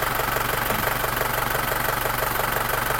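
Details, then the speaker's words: Isuzu Panther diesel just started, still cold, idling steadily with even clatter, no hunting or shake; smooth idle restored after fixing a dribbling injector nozzle and two leaking delivery valves that had caused rpm to rise and drop. "Alhamdulillah untuk stasioner udah enak udah gak ginjal ginjal seperti kemarin kondisinya"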